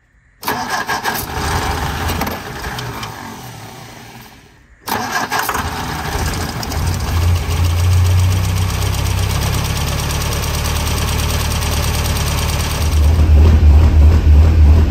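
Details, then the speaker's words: Long-stored 1957 MG MGA roadster at first start in years, coil polarity just reversed: engine catches but won't idle on its own, revs rising and sagging, needing repeated throttle pumping until warmed up; it later idled after the idle screw was turned up. "doesn't want to idle on its own yet I have to keep pumping the gas get it revved up get those valves cleaned up get it warmed up a little bit"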